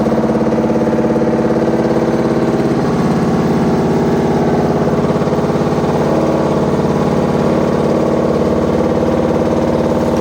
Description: Sounds like we have a load of bricks in.